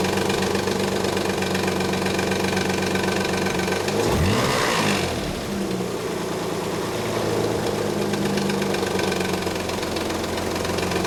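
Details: 1991 Nissan 300ZX at cold idle: quick, uneven slapping rattle about four a second, gone after about a minute of driving; cause was a collapsed timing belt tensioner letting the belt slap, with noisy upper and lower idler pulleys; codes 13 and 34 set.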